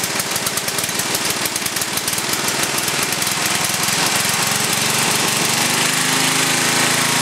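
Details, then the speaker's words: Briggs & Stratton 11 hp flathead single (model 25), first run after a year idle, cold start at about 60°F after a night in the 30s: rapid even popping beat that smooths as it warms, no knock or miss; runs well, burns a little. "that's a pretty good run engine there uh like I said it's the first time I ran it for a while and uh it burns a little"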